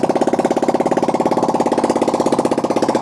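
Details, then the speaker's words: Yamaha R125 single started in neutral after an oil change with a freshly charged battery, no exhaust fitted: loud, even burbling pops about sixteen a second straight from the port, sounding like bubbles; it starts and runs fine. "Right, I forgot we didn't have the exhaust on, so now it sounds like bubbles."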